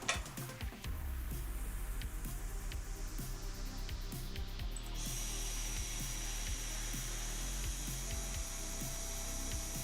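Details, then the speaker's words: Comgrow ROBO desktop CNC router cutting with a single-flute 2 mm cutter instead of a V-bit: steady, even spindle whine with regular light chatter; sounds much better than before, normal under load. "yeah that sounds much better"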